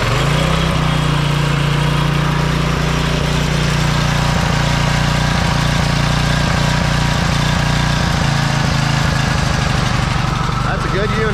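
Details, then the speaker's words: New pressure washer's small single-cylinder engine, guessed to run around 3000 rpm: steady, even low drone holding speed smoothly, still sounds healthy and clean; normal running. "there i think still runs really good you know"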